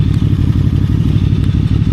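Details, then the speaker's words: QJMotor Flash 600 V4 motorcycle at idle: low, steady burbling with an even pulse, no knocks or misfires; sounds okay at idle, though noisy when running. "Damn, why does it sound okay like this? It seems to be okay to listen to It feels a little noisy when running."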